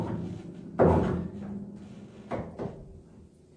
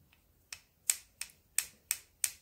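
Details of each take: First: 1950s Petrof upright piano after an action service with damper adjustment: clean single notes that ring and stop cleanly on release, no key click or buzz. The dampers now engage on all strings and the click is gone. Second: Old Petrof upright piano: sharp dry clicks with no cushioning as keys are played, because the felt on the action jack is worn down to bare wood; planned fix is felt salvaged from an old hammer.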